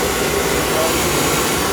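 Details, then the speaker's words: Field power venter reported by owner as making loud noise: loud, even airy rush with no knocking, squeal or wobble; running smooth without vibration, judged fine and not needing replacement. "nothing wrong with that thing that thing's running fine it's running smooth not vibrating or anything hear it I do it's fine"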